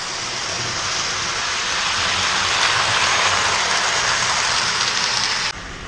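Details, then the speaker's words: 1983 Williams Mighty Mite Chessie System locomotive after replacement pinion, running on 5 volts, lowest MTH transformer output: bright steady whir from small motor and gears, smooth until it stops; running fast and healthy. "I cannot believe how good both of these run now that Chessy system one that's running on 5 volts that's the lowest uh voltage that the MTH Transformer can put out I am blown away that that thing's running as fast and as good as it is"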